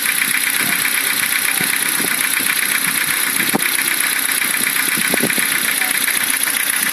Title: стук двигателя форд фокус 2